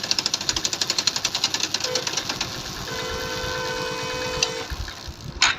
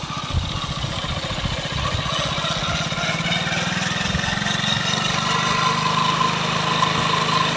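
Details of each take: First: Hero Glamour BS4 motorcycle, fourth gear at full throttle: pulling the clutch gives a fast sharp rattle, then a steady coasting whine; fine in 2nd and 3rd; play in clutch housing suspected. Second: Hero Glamour BS4 single-cylinder bike after fixing a rattle on pulling clutch at full speed in 4th, caused by clutch plate and pressure plate: running steadily in gear, speed rising slightly, slight engine noise but no clatter; healthy.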